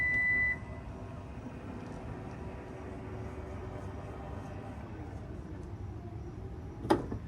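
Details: 2021 Toyota Venza power liftgate after the squeak fix, recalibrated by turning the power back door system off, manually opening and closing the gate, then turning it back on: one warning beep, a smooth even motor hum and a soft thud at the end, with no squeak.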